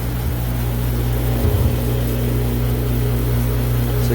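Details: Commercial beer chiller just restarted after a burnt wire was repaired with temporary wiring, dirty unit, 117 V supply: steady low hum with constant pitch, no knocking, rattling or short-cycling; compressor and both pumps running evenly, normal.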